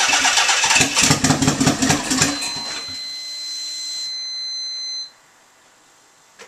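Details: Nissan 300ZX twin turbo, first startup after pulling the engine and transmission to replace gaskets and seals and fit silicone vacuum lines: short crank, catches in about two seconds, smooth steady idle; normal start and idle.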